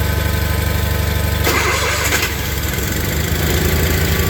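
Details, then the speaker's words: Old Case/Ingersoll tractor Onan engine in cold weather on choke: catches quickly on first cranks, then steady even idle; normal cold start of a well-tuned engine. "any of these cases we got here they'll all start up just like that in cold weather"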